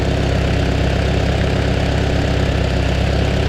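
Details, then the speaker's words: Farmall Super A tractor, timing untouched, one spark plug found loose (only number 4 checked); steady low chug at idle while idling down, even firing with no misses or knocks; still running well. "I only checked number 4 there, but she's still running good. Let's see how far she'll idle down."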